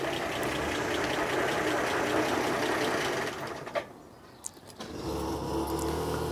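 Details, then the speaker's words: 1949 Armstrong Siddeley Lancaster after test drive, ticking over, heard at rear exhaust: lumpy, uneven pulse about four times a second before dropping away; slight misfire at idle, plug leads or distributor cap suspected, unconfirmed. "yeah if it's misfiring you can hear it at the back and was it misfiring then"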